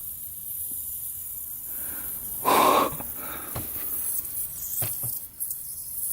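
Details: Neglected 4x4 ATV that didn't turn over before, with the fan now running after key-on: thin steady hiss over the fan with a louder rush halfway through; some leak hissing, source not confirmed.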